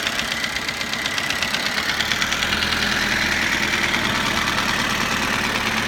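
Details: Toyota Avensis engine after cylinder re-sleeving and replacement of piston rings and timing drive: rapid light metallic tapping about three per second over the idle; engine knock, source unclear.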